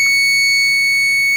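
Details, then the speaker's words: 2002 Dell Dimension 8250, Pentium 4 2.53 GHz, on a test-bench ATX power supply: loud steady high-pitched electronic screech from the BFG GeForce 6800GT 256MB, alarming because its auxiliary power lead was unplugged. "how thick my can't like the noise that sounds terrible"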